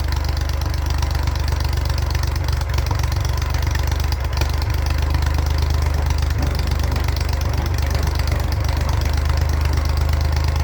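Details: 1942 Oliver OC4 crawler after years of mechanical work, finally running: steady even low thrum at idle, no knocks or misses; healthy.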